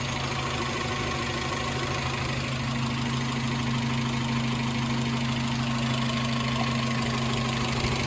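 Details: Suzuki X-90 at idle: a lumpy, irregular thump about three per second over a steady drone, a misfire consistent with a cylinder dropping out.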